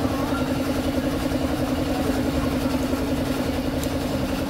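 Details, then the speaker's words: Engine after replacing the connecting rod with a forged one, following piston slap and a rough-turning rod: a quick, even, quiet idle putter with no knock or slap. It now runs healthy. "Uy ang smooth connecting rod natin na ginamit pho Forge mas pinatibay alr bua na all good na kaagad tahimik tahimik ayos okay na to guys"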